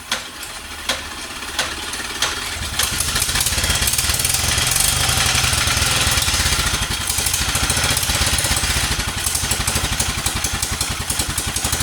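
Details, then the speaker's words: 1947 Whizzer Model H engine running after restoration, spark wire fixed and carb refitted; idles poorly until warm, choke then taken off: crisp even single-cylinder popping at steady fast pace, no knocks; normal running. "As you see, it runs. It doesn't idle well until it warms up, but it's pretty cool that it runs, just regardless."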